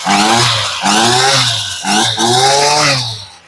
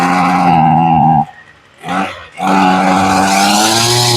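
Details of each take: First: Ryobi two-stroke weed eater, sat in a garage since 2023, fuel lines had been fitted backwards, just started on choke after a cold-blooded first pull: buzzy revs rise and fall three times, picking up cleanly and evenly; trimmer runs properly. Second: Ryobi two-stroke weed eater, sat in a garage since 2023, fuel lines had been fitted backwards, first pull on full choke after priming, untested: high buzzing revs, cuts out after a second, fires again and holds a wavering rev; cold-blooded hard starting.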